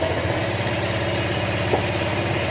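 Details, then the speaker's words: Honda Click 125 scooter engine, odometer 62, idling before a 150cc bore-up upgrade. Quiet, even, steady idle with no knocking or clatter from the top end, healthy. "Ayan, tahimik naman siya, wala siyang kalampag."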